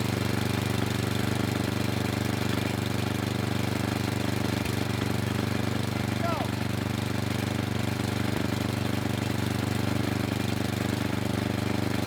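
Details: Craftsman snow blower with Tecumseh engine, cold start, running on midway choke: steady low single-cylinder thrum about two beats a second, slightly uneven but not stalling, later moved to quarter choke to warm; rough running on partial choke.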